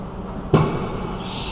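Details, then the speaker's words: CNC mill during a dry-run program prove-out: quiet spindle hum, then one clean clunk as the changer swaps to tool 1; normal tool change. "tool changes. Should be tool 1 coming up. Yep, verified that."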